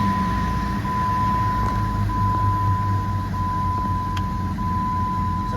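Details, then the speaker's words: Jeep WJ 4.0 that shook and wouldn't rev with code P0351, after replacing coil and spark plugs and resetting battery: starts at once, smooth even idle with no shake; normal idle. "ที่เดียวติดปกตินะครับเครื่องไม่สั่นแล้วนะครับ"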